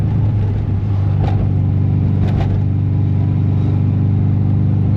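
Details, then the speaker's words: Mazda MX5 MK1 at idle after new exhaust installed: uneven bubbly low burble with irregular rattly stumble; engine rough, suspected misfire causing the rattle, not confirmed. "still has that bubbly noise as well."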